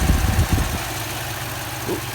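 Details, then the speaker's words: 2004 Toyota Tundra idling after AC recharge with one can of refrigerant and new O-rings: low thumping, then the note steadies as the AC compressor clutch engages and slightly loads the engine; normal clutch engagement. "this is a pump you can hear it coming the clutch engaging"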